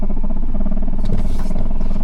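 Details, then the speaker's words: Ford Escape HVAC blower motor with 12 V power and ground present: rough droning hum with a gritty rattle, running only slow despite high setting; motor burnt up, to be replaced along with the speed controller. "That motor's burnt up. Yep. I'm going to put a blower motor and the speed controller in it."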